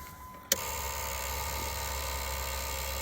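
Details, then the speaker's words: Neon SRT4, key in, no crank, no start: steady high electrical buzz near 1 kHz from the fuse box, coming on with a click. Security light on and a "no bus" message after it shut off randomly; cause unclear. "what what's going on is there's a buzzing sound coming from that um, fuse box. And when I put the key in,"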